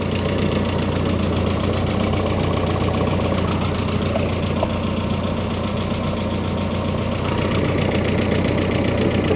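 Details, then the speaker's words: Freshly rebuilt turbo engine, heard with the hood closed: loud, busy idle with a fast, uneven clatter over the hum, barely quieter with the hood shut; owner suspects it needs break-in or has lifter tick; excessive engine noise. "I want to know why she's so noisy up the You see what it sounds like with the hood closed. Maybe it's quieter. No, it's not much quieter."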